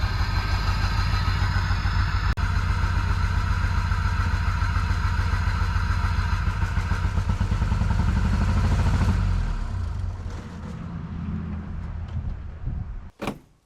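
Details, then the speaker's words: Cheap Jeep Wrangler four-cylinder started on a good battery: chugs unevenly with a missing beat, then dies after about ten seconds, staying running only briefly with starter fluid; cause unknown, owner wonders about the fuel pump; added gas didn't help. "It's not staying running. It's running pretty rough, but a little bit of starter fluid and it will stay running for a little bit."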